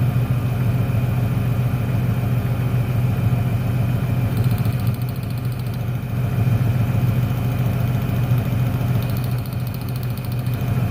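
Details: 1996 Ford Ranger 3.0L V6 lacking power, lumpy idle with an uneven beat; pulling the last plug wire changes nothing, so that cylinder, identified as number 1, isn't firing; dead cylinder misfire.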